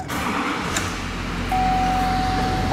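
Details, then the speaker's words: Normal start of an LBZ Duramax diesel with about 300,000 miles; the key needs jiggling. It cranks right up and settles straight into a steady, even diesel idle with no hesitation, while a cab chime sounds. "cranks right up"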